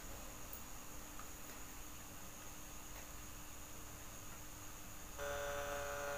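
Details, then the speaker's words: Polytron compo stereo with an added Bluetooth module: a faint steady hum, then a much louder buzzy hum when the electrolytic filter capacitor on the positive emitter output is disconnected. Mains hum from the missing filter capacitor. "suara noise sangat keras muncul kembali"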